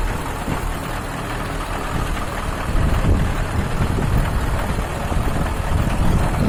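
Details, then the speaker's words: KamAZ truck diesel, first start after repairing an engine knock caused by a scored cylinder liner and damaged piston (piston, connecting rod and pin replaced): deep, steady idle rumble with no metallic knock. "ребят наконец первый запуск после практике мой штук найдено устранён"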